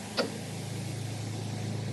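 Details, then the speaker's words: New AC compressor and clutch commanded on with a power probe: one sharp click as the clutch engages, then a steady low compressor hum; engagement is normal. "now when you see the command going off and then on you can actually see the compressor clutch engaging and you can hear it as"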